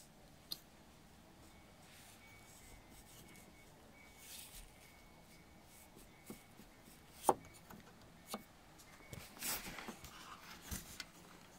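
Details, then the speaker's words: BMW seatbelt anchor (T47 Torx bolt): light dry ticks about two a second in a quiet cabin as a loose washer moves inside the anchor. "that's the noise you can hear that kicking okay I'm going to show you what is making that noise"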